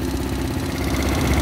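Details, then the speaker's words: Tao Tao Pony ATM 50 scooter, 50cc GY6 139QMB, restarted after a spark check; owner suspects wet CDI wiring caused the breakdown: small single cylinder catches and settles into a steady, even putter with no misses or knocks. Runs normally. "all right let's see if she starts up there we go running again man"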